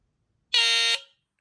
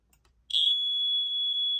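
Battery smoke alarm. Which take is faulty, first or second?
first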